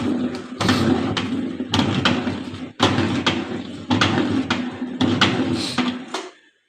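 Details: LG WF-T7066MN 6.0 kg top-loader washing machine on wash cycle: rough grinding under a low hum with heavy clunks about once a second from a worn gearbox.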